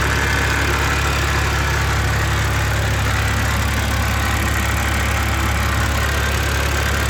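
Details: 2006 BMW Z4 Coupe 3.0si, N52 engine: steady idle with faint uneven ticking about two beats a second over a deep hum; noise only at idle, disappears when revved; cause unknown.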